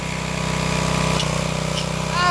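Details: Old Craftsman pressure washer after clearing the hose end and wand, possibly started on choke: steady, even buzz from the small single-cylinder engine at constant speed, no misses or surging; runs normally, revival successful.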